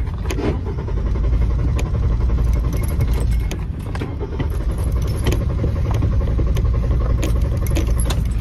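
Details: Car that won't start, possibly broken down roadside: long steady starter churn with uneven low pulses about four a second, never catching. Cranks but won't fire; owner also notes a failing transmission and an exhaust manifold needing replacement.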